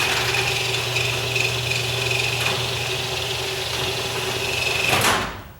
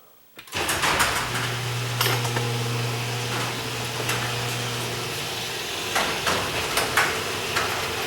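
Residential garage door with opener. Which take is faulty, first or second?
first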